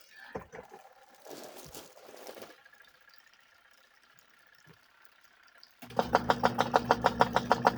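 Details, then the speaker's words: Vivohome portable washing machine after replacing the worn, loose belt and spacing the agitator with a washer: steady motor hum with even churning about three times a second, no rubbing or scraping; agitator turning with more force, running normally. "Better. Much better. I can tell that it's turning with more force. Yeah. This thing was never super quiet in the first place."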